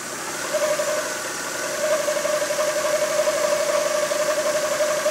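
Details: Mazda MX-5 NB 1.6 at 1500-1800 rpm after Loctite repair of crankshaft gear with worn key and keyway: steady revs with thin whistling tone and pulsing beat about four times a second; strange noise, slightly raised idle, source unclear.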